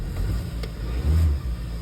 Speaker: the cold star sounds pretty good on it